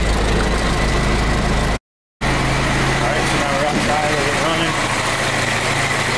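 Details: 1920 Ford Model T Centerdoor, converted to 12 volt: old four-cylinder ticking over at low, even beat with steady hum, no misses or knocks; starts right up, normal idle.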